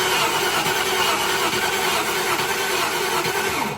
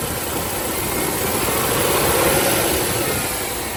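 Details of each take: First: 1995 Range Rover Classic, 4.2 V8 long wheelbase, won't start despite confirmed fuel pressure, a new fuel filter and carb cleaner in the intake. The starter cranks evenly but the engine never fires; a spark gap tester set to about 2 mm shows no spark. The coil is replaced next. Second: 1995 Range Rover Classic, 4.2 V8, after replacing the ignition coil, distributor cap and rotor arm: an even idle that swells smoothly with a touch of throttle and settles back, running cleanly. This fixed the no-start.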